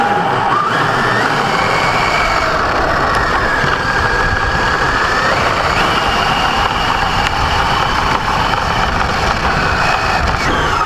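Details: Brand-new Basher Nitro Circus 4x4 1/10 RC truck on 3S 4000mAh battery: high motor whine rising and falling with throttle over a constant gravelly grind; only accelerating forward on ground, not reverse or lifted; gear mesh adjusted, unresolved.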